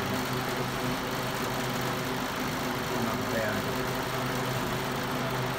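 Steady motor hum with a low droning buzz riding on it at high speed, the whole fan shaking rather than running smooth.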